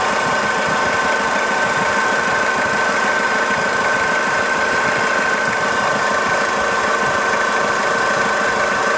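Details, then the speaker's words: Warm 2000 Toyota Hilux 5L diesel idling, timing belt and water pump already replaced; dense busy bearing-like rattle in time with the engine over a faint whirr; engine responsive with no power loss; source not pinned down. "it does seem in time with the engine you can almost hear like a rattly bearing noise and then there's also sort of a wizzy kind of a noise it doesn't sound correct either"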